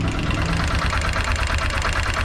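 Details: TVS Apache RTR 160 4V BS6 motorcycle at idle; fast, even light metallic ticking from the top end in time with the engine; cause suspected, not confirmed.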